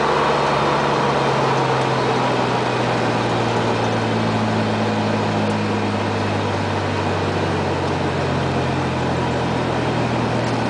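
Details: 1997 Dodge Ram 1500, 3.9 L V6 with Flowmaster Super 44 and no tailpipe, driving: loud exhaust drone with an uneven, stumbling beat from a misfire, codes P0206 and P0306 (cylinder 6).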